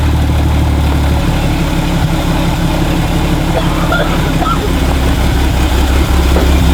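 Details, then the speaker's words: 1972 Toyota FJ40 Land Cruiser carbureted petrol engine, sat about 40 years, just after first start from cold after ignition points work: steady low rumble with a lumpy, uneven beat that is already smoothing out; rough running. "we'll try to blow the cobwebs down that carburetor it's already smoothing out though yeah it is"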